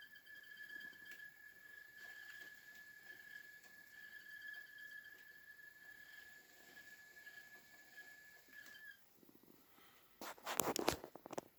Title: Hotpoint Squeaky Noise Loaded Drum